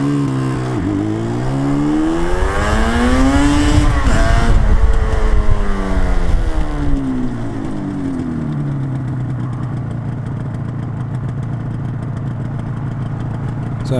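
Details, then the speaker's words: Yamaha RD 350 YPVS F2 two-stroke on the road: revs climb and fall back through a blip but the note sounds dull and flat, lacking crispness; rider unsure of the cause and asks for ideas. "hopefully you could hear that was a little flat. Answers on a postcard, if you got any ideas."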